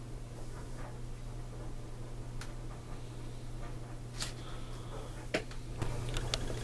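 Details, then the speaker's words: Suncourt register booster fan (HVAC vent booster), running: steady low hum with scattered light ticks over soft airflow; gives only a gentle breeze yet runs very noisily. "I mean, it produces a breeze, a gentle breeze, not one to literally blow your hat off, but it's just noisy as hell."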